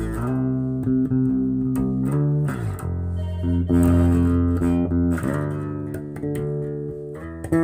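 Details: Kustom KXB100 bass combo amp after repair, previously humming at mains frequency with no signal passing: clean bass notes ring out with firm lows and no hum or crackle; amp plays normally.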